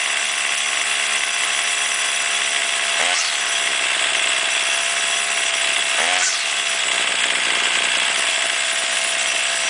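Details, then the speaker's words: Warmed-up two-stroke weed trimmer, string out to cut line for load, held near full speed with brief dips and recoveries each time the carburetor mixture screw goes lean or rich. "you want to do the low side first and when it's warmed up you start it let it idle and turn it clockwise until it starts bogging down a little bit and then turn it counterclockwise until it starts bogging down a little bit and then you want to set it in the middle where it's running at the highest and smoothest rpms"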